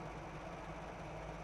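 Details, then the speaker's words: 1981 Toyota Land Cruiser FJ45 pickup 4x4, 4-speed manual, true miles unknown, idling: a quiet, even, low idle with a smooth steady beat and no knocks or misses. Normal idle. "Now that we're not rushed, we are idling nice, engine sounds good. One of those engines I can probably balance a quarter on."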